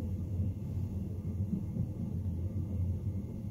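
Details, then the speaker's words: Homemade wind turbine on a skoolie bus, chain and gear drive turning generator in roughly 6-8 mph wind, phone lying against bus middle: constant deep structure-borne rumble, no distinct knocks; drive vibration heard throughout the bus. "yeah you can hear that all through the bus I think you would probably get used to it after a little while and it wouldn't be that bad"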